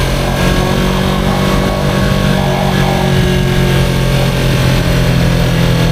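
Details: 2023 Yamaha R3 while riding: a steady engine drone with a faint, thin, steady whine riding over it; source unknown, owner unsure whether it is harmful.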